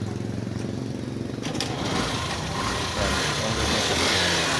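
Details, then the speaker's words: Yamaha YTX motorcycle, previously hard starting and misfiring with weak spark despite carburetor cleaning; after installing a new CDI it starts on the first try, even quick idle about four beats a second, stable, with crisp throttle response, normal. "dating hard starting siya ngayon y one click at bumalik na yung kanyang pw at stable Nain yung ang Menor hindi na siya mahirap paandarin"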